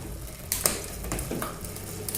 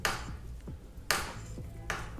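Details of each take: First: can you hear that first you can hear clicking of the shifter and then that clutch exactly when the cage is opening up Second: Rear derailleur clutch with 500–1,000 km ridden: sharp dry clicks and snaps about once a second as the cage moves, creaking instead of moving smoothly; worn clutch.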